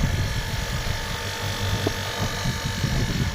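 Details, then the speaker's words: Videocon air conditioner compressor running with a rough low buzzing rattle and uneven fluttering beat coming from inside the compressor; abnormal internal compressor noise, cause unknown. "इसका problem क्या है कि इसका compressor के अंदर से आवाज आ रहा है"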